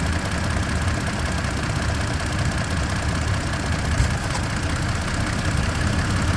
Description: 2. Helicopter-like sound can be heard @ 0:33 seconds and lasts all throughout this video